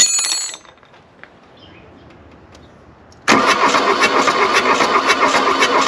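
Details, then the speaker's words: Volkswagen Rabbit diesel abandoned 30+ years in woods, new belt fitted, glow plugs jumped, about 40°F with likely worn glow plugs: starter churns at about four beats a second, one cylinder catching briefly but never running; cranks but won't start. "i'm telling you let's burn up a starter make this happen that was a cylinder kicking off"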